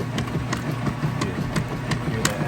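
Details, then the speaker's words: Whirlpool washer filled with water in wash cycle: regular back-and-forth swish and soft thumps as the agitator vortexes clothes down along the bottom fins and up the outsides, even and unstrained; agitating normally. "that agitator, obviously see it, doing an excellent job, kind of vortexing those clothes down along the bottom fins. And then they come back up on the outsides."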